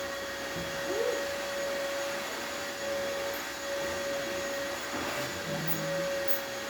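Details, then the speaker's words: Gaggia espresso machine after tune-up with replaced water pump, boiler warming up to pressure: steady hiss with thin constant whistle, a little water/steam escaping at the group head until the boiler seals; normal warm-up. "Like I was saying, you will see a little bit of water coming out from there as the boiler starts to seal up and as the boiler starts to get up to pressure."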